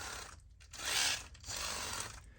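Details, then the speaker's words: RC crawler (TRX-4 based build with LCG kit transmission, rear underdrive): rough, gritty grinding rising and falling in bursts with motor, 'drunken chainsaw'; gear mesh noise, pinion needs dialing over. "now the transmission sounds a bit like a drunken chainsaw which is not surprising because the pinion we need to dial the pinion over a little bit"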